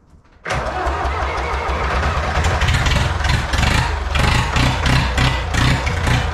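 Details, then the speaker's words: Old IHC 844 diesel tractor started with a jump starter at about 0 °C in the cold: fires at once, runs loud and slightly uneven, then settles into a steady clatter. Hard cold start. "jetzt starten wir ihn mal wie gesagt um 0 Grad arschkalt"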